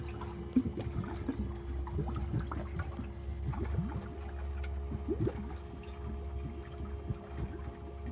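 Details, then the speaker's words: Malibu 23 LSV ballast system, about 12 minutes into fill: steady low pump hum with irregular gurgles and bubbling as water struggles into the hard tank, barely a quarter full, gauges at zero while the bags are about two-thirds to three-quarters full; cause unconfirmed. "hear the water going into the tank you can also hear it gurgling trying to go into the hard tank over here"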